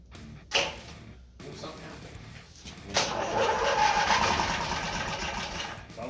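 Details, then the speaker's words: Twin-cylinder Briggs & Stratton engine on a mini bike, first start on a splash of primer: catches with a rough burst, runs a few seconds, then sags and fades out as it runs out of fuel, needing another prime. "like it already started. It started a little bit. You're ready to work the throttle. Alright, good. We're out of gas. We need another prime."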